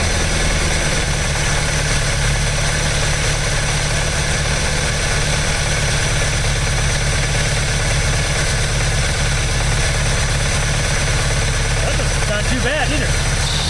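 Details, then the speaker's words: Old "800" truck petrol engine just revived after distributor retiming, with carb possibly leaking between horn and base and much coming out of the manifold: steady idle with a slightly uneven, lumpy beat and no knocks. Rough idle. "All right. I don't know why she wanted to die, but I'm going to take that as a good start."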